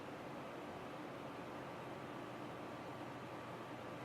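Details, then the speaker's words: Two GTX 760 in SLI running Heaven/Valley benchmarks, GPUs around 75–76°C, 100+ FPS, room fan off; quiet steady airy whoosh from the computer fans with no ticking, grinding or pulsing; normal fan noise under load. "It's decent, at least while all the fans are blowing, so everything is blowing."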